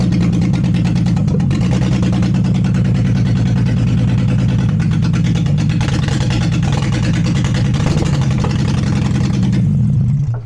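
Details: Peugeot 206 with a VR6 24-valve engine from a Sharan, first successful start on open exhaust after powering the coils: loud, raw drone running evenly with crisp throttle blips, then dying off at the end; the engine runs properly.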